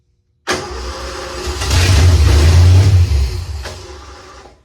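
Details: 1986 Ford F150 that sat for years, new starter solenoid, no fault codes: a brief crank catches into a rough, surging run that wavers and dies within seconds. Fuel suspected. Crank, start and stall.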